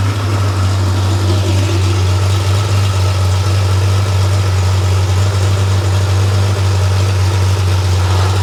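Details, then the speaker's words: Freshly rebuilt Porsche 911 air-cooled 3.0SC flat-six built to 3.2 short-stroke specs, warming up on a test stand: deep, steady thrum holding pitch at idle, no stumbles or rattles; muffler has a loose baffle that may resonate; normal. "And then as the engine warms up, um you'll see the idle RPM should increase to around the mid 900s."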